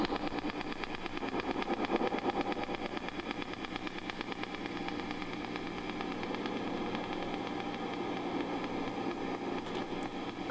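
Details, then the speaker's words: Fender '68 Deluxe Reverb amp, reverb off, volume five or below: steady ticks about two a second pulse through idle hiss in time with the tremolo circuit, a loud distracting tremolo ticking fault. "number two the tremolo circuit on this amp exhibits a really loud and distracting ticking noise"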